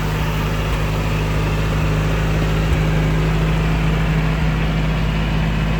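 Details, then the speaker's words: Willys Jeep engine at idle, first start after about six weeks, with the top covers off. An even, low hum with only a faint light tick, attributed partly to tappets; the earlier louder noise was mostly the timing chain. Normal idle, much quieter. "nice quiet idle now much much quieter you can still hear some of that noise so it was some of it is the tappets but I think a lot of it was the timing chain as well so it's sounding pretty good nice to tick over there"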